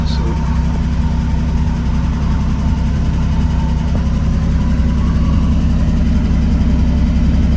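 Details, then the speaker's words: Triumph TR6 with new EFI kit, warm start, transmission in neutral, fuel pump audible: steady low burble at a slightly soft idle that sits a touch low and should creep up. "so you can see what I was talking about when it's iding a little bit low when it's cold but it should creep up here in just a second"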